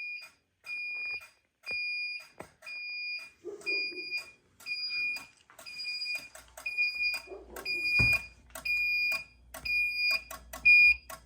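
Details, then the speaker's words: Fire alarm strobe synchronization module running after carbon monoxide detector was set off, flashing yellow CO strobes; steady high chirp about once a second in a quiet room, with strobe monitor and NAC circuit modules active; normal operation. "Strobe monitor module is active, as well as the strobe NAC circuit module, control module. You can hear the strobe synchronization module running for the carbon monoxide yellow strobes."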